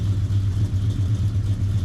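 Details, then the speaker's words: Foxbody Mustang V8 on the factory computer: deep, steady burble at idle with an even low pulse and no knocks or misses; idles really nice. "So, not bad, right? The car idles really nice. It is on the factory computer."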